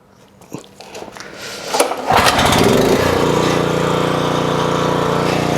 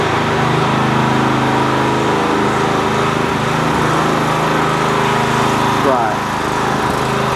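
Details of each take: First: 4 kW generator, pull-started: engine settles into a steady, fast, busy drone, measured at 59 Hz instead of 50 and 128 V instead of 240; owner suspects someone wound it up after it bogged down, running overspeed. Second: 4 kW generator after repair, running under a kettle load measured at about 2.2 kW (just over half its capacity); steady, even engine drone holding speed without hunting or surging, generator running properly under load.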